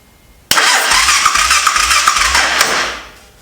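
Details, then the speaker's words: Honda 400EX quad being revived with eBay parts, cranking: starter spins the engine quickly and evenly with almost no compression pulses, only a brief hint of load; about 40 psi measured, possibly with the throttle not blocked open. Weak compression suspected, unconfirmed. "don't know if it sounds like it's got compression for a second."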